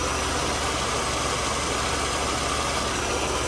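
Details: 1992 Mercedes W124 300 with hard starting after work; rich mixture duty cycle turned down toward 50%, read at about 49%. Even, steady idle with no misses, hunting or surges: engine settled and healthy.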